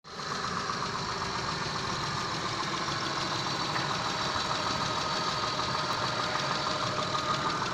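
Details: 6A13 V6 engine, slightly warmed, idling, recorded in the car: rough, irregular tapping knock about three per second over the engine note; knocks when warm, source unclear.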